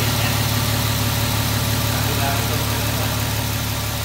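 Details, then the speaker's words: Mercedes V12 after engine rebuild, first start once fuel from ruptured fuel pressure regulator diaphragm was aired and blown out of the intake; cold, cooling system not yet assembled: smooth steady idle, no misses or knocks. "És őszintén nagy megkönnyebbülés, hogy beindult, és szépen jár egyébként."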